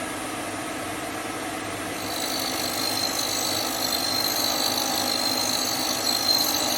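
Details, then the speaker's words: Hope Woodturning MK2 thread-cutting jig on a router at about 3000 rpm, 16 TPI male thread in beech, advanced slowly: steady high-speed whine, slightly louder as the cutter bites the wood; normal thread cutting. "filtage se dessine lentement j'exerce une petite pression pour le retour"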